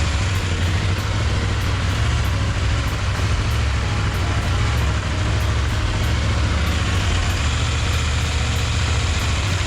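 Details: KTM 890 Duke engine idling after replacing the OEM cam chain tensioner with a Dirt Tricks tensioner: steady deep, even rumble, no chain rattle, only faint light ticking; normal idle with quiet cam chain.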